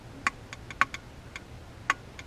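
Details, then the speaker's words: 2006 Toyota Corolla XRS driver's side brake caliper, hose detached, piston pushed back: a few sharp irregular creaks from inside the caliper and more resistance than normal, suggesting the piston is seizing; brake was dragging. Seized brake caliper piston. "that creaking sound, it's definitely coming from in the caliper. So that leads me to believe that it's seizing up in there, and it's harder than normal for me to push the piston back in."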